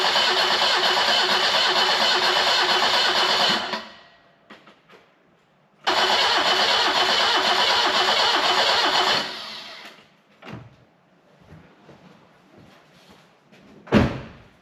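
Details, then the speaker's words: BMW E12 520 barn find, first start attempt since purchase: two cranking bursts of about four seconds, turning over evenly at about three beats a second but never catching; spark present, fuel delivery suspected. "And no start. Alright, need to go back to the drawing board, check everything over, and try again. Need to check if it's got fuel and stuff like that"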